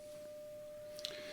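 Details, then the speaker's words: Philips BX626 tube radio restoration, first power-up fed a 200 mV RMS test signal: steady clean tone around 600 Hz over faint hiss, power amplifier passing signal; set noisy, volume pot scratchy. "We do have maximum restriction on, and I already hear there's our tone."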